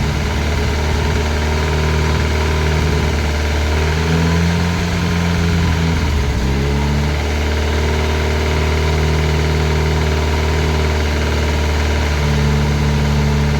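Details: Classic Mini turbo, first start, ECU on laptop with lambda sensor: steady lumpy idle with a dull knock felt strongest at the rocker cover; sounded almost like a big end but valvetrain knock.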